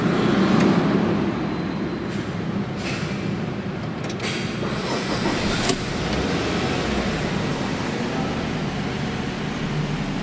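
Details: Nissan X-Trail that suddenly would not start, fixed by cleaning the battery terminals: engine catches and settles into a steady, even idle with revs picking up cleanly; starting and running sound fine.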